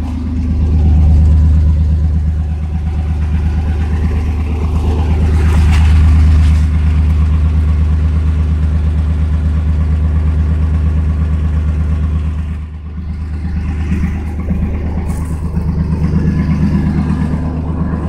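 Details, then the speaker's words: 1992 Chevrolet S10 Blazer petrol engine idling smoothly and evenly with a deep exhaust rumble, no misses or check engine light; catalytic converter leaking with slight rattle; normal idle. "It's running today. Listen to that, it sounds nice and smooth."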